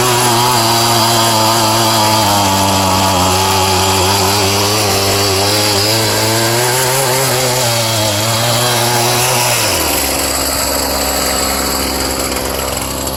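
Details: Scrap-yard two-stroke cultivator, previously run on straight gas without oil and so lower on compression: buzzy engine holds a steady high rev, then drops to a smooth lower speed; surprisingly runs cleanly.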